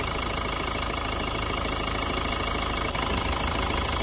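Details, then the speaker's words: Renault Duster 110 PS diesel idling after replacing faulty injectors 1 and 2: steady even diesel clatter with no misses or stumbles; misfire fixed. "ராஜா பாருங்கள், நம்ம இந்த firing எதுவும் miss ஆகல. இப்போ எல்லாமே அந்த கம்ப்ளீட்டாக ஒர்க் பண்ணியாச்சு."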